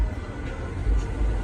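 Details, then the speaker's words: 2008 Lincoln MKX 2WD A/C blower, after the blower motor was replaced, on the highest setting: steady low rushing hum with no squeal or ticking; airflow at both vents is much stronger than before, especially on low speeds. "And it's blowing. You can hear it. I can feel the air coming through the vents, both sides. It's coming through a lot stronger than it did before, especially on the lower speeds."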